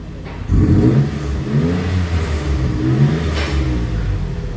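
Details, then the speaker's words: V6 EFI Mitsubishi Delica L400 4x4 after a free-flow exhaust mod, 54 mm pipework kept, raised off the ground: deep, throaty note rising and falling with a couple of throttle blips. Throatier but meant to save fuel; sounds healthy. "I'll give it a couple of revs and you can see and hear, well, more hear than see, what it sounds like. Is throatier, but will save fuel."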